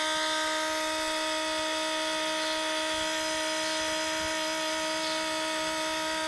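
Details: Case 305 during service, key on after installing both new fuel filters: constant single-pitch electric buzzing hum, steady with no stumbles, as the electric fuel pump cycles to fill the new filters; normal priming.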